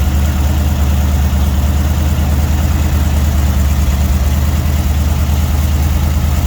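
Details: Freshly built budget Dodge 318 V8, warm at 175–180°F with 60 psi oil pressure: steady, even low rumble with a smooth, unchanging beat and no ticks or knocks; it idles cleanly.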